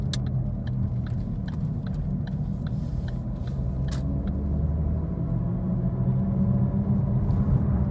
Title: 2013 Ford Focus - Loud Road Noise - Bad Wheel Bearing